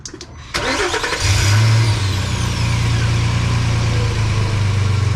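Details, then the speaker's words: Truck with a new cat-back exhaust fitted a week earlier (replacing a cheap loudness mod that let fumes into the cab), started to check for leaks: deep steady rumble, no ticking or puffing, no exhaust leak. "So as you can see, that exhaust worked perfect."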